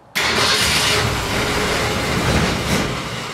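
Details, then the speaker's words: 1965 Ford Falcon after the steering column and shifter were readjusted: the starter churns roughly and unevenly but the engine doesn't catch, because the accelerator wasn't pumped to prime the carburettor. "that was me not pumping it go ahead let's get that worked out but we're running"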